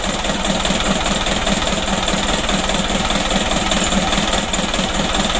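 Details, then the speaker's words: Mitsubishi Canter 136 PS diesel in a tour minibus that was burning oil, before piston ring replacement: steady idle clatter with slight uneven pulse about twice a second; still shakes slightly, needs teardown. "Ini masih ada goyang sedikit ya tapi kita buat dalam dulu masalah ini perlu bongkar ya"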